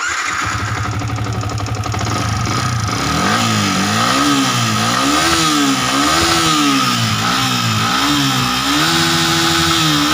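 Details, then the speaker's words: Yamaha Vixion New, previously rebored with a non-stock Honda (possibly Sonic) piston fitted, blipped repeatedly: harsh metallic rattle from the head area over every rev; head, camshaft, valves and timing chain to be inspected. "Nah di sini motor ini bunyinya kasar, sangat kasar sekali ya di area head ya."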